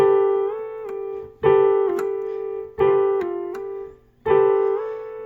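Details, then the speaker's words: Medeli SP4200 keyboard after repair: a displaced pitch bend controller had lost contact with its board, throwing the whole keyboard two half steps sharp. Held A tone slides up when bent and settles back on pitch. Pitch bend working, normal pitch. "Pitch bend works. And if I hit an A and I hit the pitch bend, that's why that was making a B sound. See? Now we're back on pitch."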